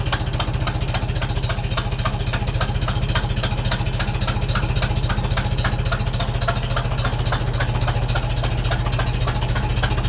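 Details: Super M tractor at startup, camera walked around the engine: steady low idle with sharp regular tapping, three or four per second, puffing with the exhaust; cracked manifold first suspected, manifold gasket now believed; exhaust manifold gasket leak.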